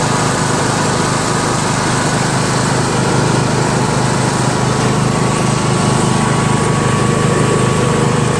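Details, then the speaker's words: Yard Machines MTD lawn tractor, 20HP Briggs single-cylinder OHV, CVT, test ride after magneto bypass and deck repair: smooth continuous hum at steady speed, no stumbles, rattles or knocks; healthy under load. "very good tractor even though it's a pain in the ass to work on runs nice to feel the horsepower smooth"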